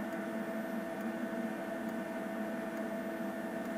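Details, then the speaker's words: BMW EV conversion charging from 13 amp supply, absorption charge just under 10 amps: faint ticks about once a second over steady hum from the inductor; normal pulse-charging ticking that solved the earlier noise issue. "It's the ticking sound. That's from the pulse charging, and to say that has completely solved the noise issue that I had here"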